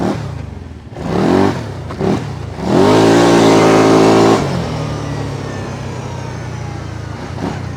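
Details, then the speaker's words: 2008 Kawasaki Brute Force 750i V-twin ATV with an oil leak that needed clutch work and would not move: after the key-switch reset procedure, a strong, clean rev climbs hard and settles to an even V-twin beat, pulling at full power. "there we go that's the Kawasaki 750 V Twin power"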